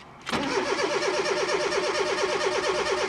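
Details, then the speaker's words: Fiat Punto 8-valve engine in a Fiat Panda with the immobilizer loop aerial unplugged from the code box and the code light solid: the starter whirs at an even cranking rhythm for about three seconds but never catches. The immobilizer never lifted, so there is no start. "it will never fire because the immobilizer has never lifted."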